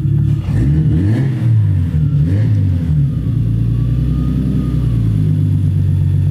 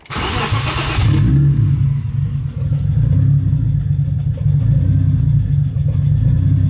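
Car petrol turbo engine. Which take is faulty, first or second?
second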